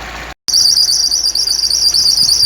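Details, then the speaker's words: Shrill, wavering high-pitched squeal at idle from the dried-out, slipping alternator belt; continues after restart, and rubbing a candle on the belt is expected to stop it. "essa aqui é a correia do alternador que faz esse barulho Tá então é um barulho irritante"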